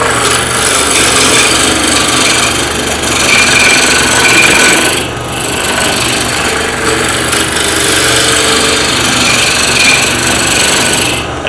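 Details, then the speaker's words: Wood lathe turning a bottle stopper blank held in a collet chuck with draw bar: rough scraping and rasping that pulses as the tool catches only the high spots; blank not yet round. "it's not round yet for two reasons number one I can hear it number two I can feel the tool still advancing into the air where that one spot is"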